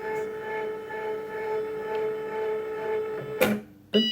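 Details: Second-hand Cricut Expression cutter whose broken contact piece is held in place by hand; steady motor hum, then two firm clunks as the carriage reaches its stops. Normal homing at start-up.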